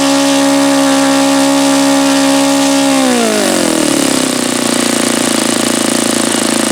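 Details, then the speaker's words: Saito FA-72a model engine, first run, low-speed needle about two turns out; owner suspects carb not tuned for the weather and heard possible detonation when leaning: high steady buzz sags lower and rougher, engine wants to die at idle. "Okay, so it's just wanting to die out here."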